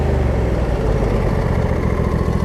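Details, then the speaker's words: Three-year-old Husqvarna rider mower with a 24 hp Briggs & Stratton V-twin, 61 hours; it idles down to a low, steady, even idle with no hunting, exactly as it should. "idles down exactly the way it needs to pto works great deck works great"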